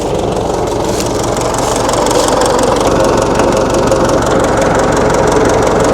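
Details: 1960 Massey Ferguson FE35 tractor, 4-cylinder diesel, after sitting unused in a paddock for a long time: even clatter at steady idle, about three beats a second, no misses or surging; runs normally.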